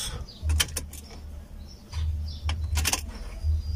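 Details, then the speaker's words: Opel Astra after engine work: the key is cycled several times and the fuel pump gives short, low priming hums of a couple of seconds each, refilling fuel before the start. The battery is very low. This is normal priming. "tres para que se vuelva a llenar la gasolina. Y en el cuarto, ahora sí, vamos a echarlo a andar."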